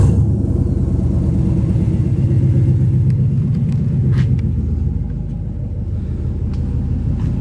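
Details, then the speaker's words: V8 after the old exhaust was cut off and replaced with temporary 2.5-inch turn-down pipes: a deep, even idle rumble with a steady low burble and a deeper grumble than before, with no rattles or leaks heard; a normal exhaust note. "got a deeper grumble to it"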